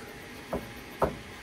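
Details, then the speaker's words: Three short deep plucked thumps about half a second apart, twanging like a bass string, from an Elegoo Neptune 4 Max 3D printer belt; tension judged about right to avoid layer shifts. "you know what kind of thumping sound almost sounds like a like a like a bass guitar"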